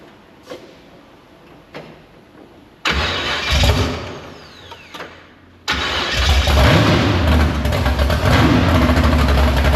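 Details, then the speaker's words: Big-block Chevy V8 in the Farm Fresh gasser, timed, carb to be swapped for more fuel: starter whirs, engine catches, stumbles briefly, then fires into a loud steady lumpy idle. Fires right up, no leaks; normal idle. "But yeah, everything's good to go. No leaks. Fires right up. Got this thing timed."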